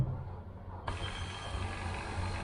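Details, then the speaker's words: 1990 Range Rover LHD 3.9 manual, driver's electric seat back motor run directly on its circuit, battery possibly getting flat: steady, even whir for about a second and a half with no grinding or strain, working normally. "right that's the seat back that's good"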